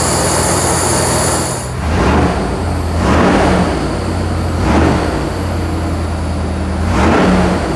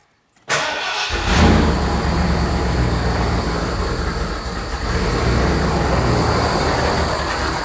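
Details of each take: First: 460 V8 in a Bronco after MSD Atomic EFI install, still warming up: idle jumps sharply on about five quick blips and drops straight back without stumbling; crisp throttle response, much better than before. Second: Carbureted 460 V8 Bronco, first start after MSD Atomic EFI install with Holley low-pressure pump: catches after short crank, idle surging and dipping before steadying as air purges and fuel pressure reaches 41-42; rough start from air in fuel system.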